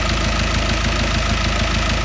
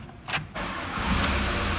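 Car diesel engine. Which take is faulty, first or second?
second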